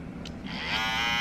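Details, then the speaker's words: Andis Cordless T-Outliner trimmer, about a week old: at switch-on the motor takes nearly half a second to wind up to steady buzz; owner notes this ongoing hesitant start, cause unclear. "Like, you hear the power, how it's starting? Caught that, eh? So that's a problem I'm having with it right now."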